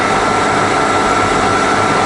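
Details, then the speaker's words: Bridgeport milling machine with 42-inch table, twin-speed motor in high range, spindle run in reverse: steady, even whirring at constant pitch, no knocks or grinding; runs smoothly. "just to show you their works and then reverse just is quite a reverse"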